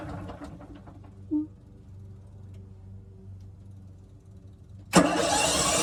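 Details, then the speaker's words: RV generator tried after replacing the RV batteries; it has not run in a while: a brief, uneven cranking churn dies away without catching, then a loud rush of noise. It turns over but won't start. "there that's the good news is that it's turning over it's not starting it's been a while since thing started"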